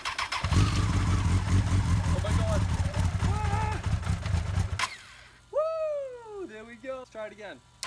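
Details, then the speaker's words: Honda FireBlade first start after revival, with the kill switch bypassed, fuel pump primed: engine catches and settles into a steady, clean, even idle with no knocks; runs healthy. "let it run for 10 or 15 seconds doesn't sound bad there we go I can't believe it I got this thing running"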